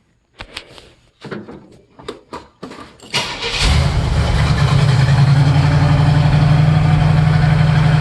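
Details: 1969 Firebird, stock 350 Pontiac with manifolds and new 2.5" mandrel-bent stainless true dual exhaust with stainless mufflers: a few cranking bursts, then catches and settles into deep even idle loping about four pulses a second; healthy.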